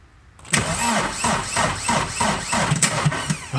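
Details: 2020 Chevrolet Silverado 1500 3.0L Duramax diesel cranks in labored pulses, about three a second, without starting; battery drained below 9V over a week by trailer interior lights left on, jump pack attached.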